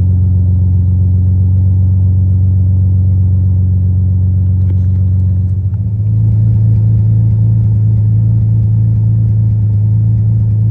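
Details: 2007 Dodge Magnum 3.5 V6, after replacing a cracked spark plug that caused a cold-start misfire: steady even idle, settling after a brief dip; misfire gone.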